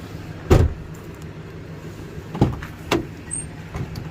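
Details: Ford high-top van just started with a Noco booster pack after jump cables failed, left idling to warm up: low, steady hum with some door and handling thumps; even idle, no misses or knocking.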